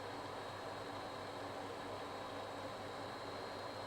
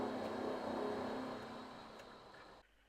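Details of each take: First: Vaillant boiler supplying hot water: quiet, even burner hiss with no kettling, banging or whistling. The boiler is holding its own and running normally. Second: Vaillant boiler on heating at 80 degrees in P1 mode, about 37 kW into 22mm pipework, after 15 minutes: rushing roar with a rattle of about four beats a second. Valves are all open; the rattle indicates a blocked coil.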